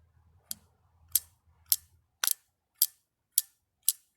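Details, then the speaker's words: 1958 AMC Rambler Super Delco Remy distributor (model 1110246), removed and spun hard by hand during disassembly: light crisp clicks about every half second as the advance weights pop out slightly; normal distributor advance weight clicks. "And then yeah, but if you listen really carefully when I spin it really hard, you'll be able to hear the weights just pop out just a tiny bit."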